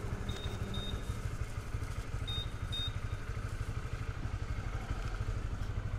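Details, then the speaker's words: Honda CB150 (K56 engine) at about 1,800 km, after replacing the cam chain tensioner and changing the black oil; previously knocking, worse in the mornings. Now an even, low idle with a steady beat, no top-end clatter, a couple of beeps nearby; normal idle. "Tensioner yang lama jadi dicopot terus dikali yang baru suaranya tadi tak dengar udah halus sih kita Cobain deh"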